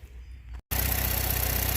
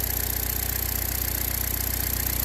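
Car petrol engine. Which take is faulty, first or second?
first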